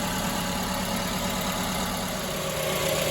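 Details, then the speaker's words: Multi-cylinder petrol car idling with one dead cylinder: uneven, stumbling, loping idle and the engine shaking hard: dead cylinder misfire. "let me actually start the car and we'll see and feel the dead Miss yeah she's shaking like a right"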